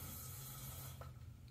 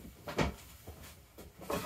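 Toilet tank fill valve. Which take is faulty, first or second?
first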